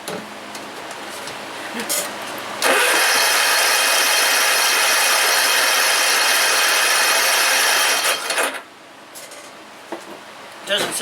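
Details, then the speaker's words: John Deere RX75 riding mower, carburetor not yet cleaned: small engine catches and runs roughly about five seconds with fast, hard clatter, then dies; knocking, owner suspects broken crankshaft or connecting rod. "it sounds like when it fires it's just it sounds like it's hidden at a rough spot again and it is that sounds like a broken crankshaft or something connecting rod"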